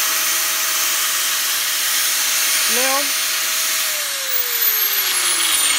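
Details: Angle grinder after gearbox service, gear housing refilled with more grease than the factory fill: steady high whine holds evenly, then after switch-off winds down slowly and smoothly; gears running free and quiet, healthy grinder.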